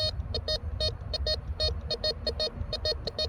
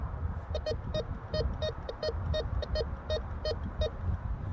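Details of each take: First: Tracker 4 gave us a nice high tone for the gold ring. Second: Bounty Hunter Tracker IV metal detector in discrimination (disc) mode over a 14 karat gold ring, a mid-conductor: quick buzzy bursts of high tone as the coil sweeps.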